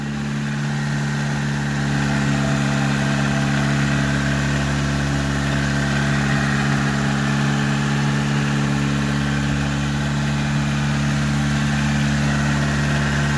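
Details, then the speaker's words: 1989 Nissan Sentra B12 project car, first start on a refurbished battery after tightening cables: loud, heavy idle drone with slightly uneven low pulse near four a second; black smoke and horrible-smelling exhaust, owner says it's burning oil. "It smells freaking horrible. It starts. It's loud, but it starts. You guys, it started. It's running."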